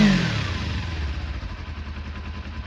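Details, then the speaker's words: Restored Kawasaki Eliminator 250 motorcycle, cold start on a freezing day with a cold exhaust and fuel left on overnight: a little smoke, small twin blips, then an even, steady low burble with no knocks or rattles. Normal, described as good as new. "It's perfect. Good as new."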